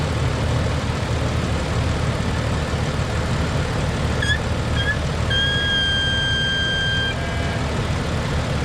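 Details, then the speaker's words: Jeep at idle: high thin whistle chirps then holds about two seconds, air sucked past brake booster check valve grommet; moving grommet made it a little better. "Alright, so it was worse than that. But I was messing with this grommet and it made it a little better actually."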